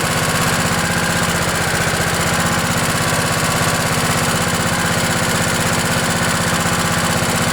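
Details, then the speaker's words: Craftsman LT1000 riding mower, 16 hp Kohler Command OHV single, cold start with choke at about 20°F after an ice storm: steady even thump about four beats a second, no misses or knocks; clean normal cold idle. "well i'm gonna call that a success"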